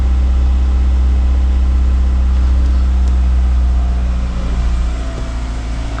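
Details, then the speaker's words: 2002 Lancer OZ Rally, cold test start after valve cover gasket replacement, check engine light on: smooth idle runs slightly high while cold, then pitch eases down after a few seconds; normal cold-start behaviour. "We'll just give her a quick little broom broom. It's got a little bit of a high idle, it's cold. She'll come back down."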